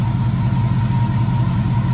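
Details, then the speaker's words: Classic Ford 302 V8 idling after new alternator install: smooth even low rumble, no knocks, ticks or whine; healthy idle. "That one even sounds better than the other one."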